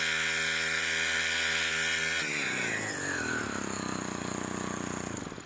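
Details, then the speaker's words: STIHL FC 90 edger after a general service, with the carburetor low side set and now the high side adjusted: a smooth, even high-speed buzz that winds down cleanly, and the vibration is gone; healthy running. "That's actually right where it should be. Let's go high side. That sounds nice. Look at the vibration's gone."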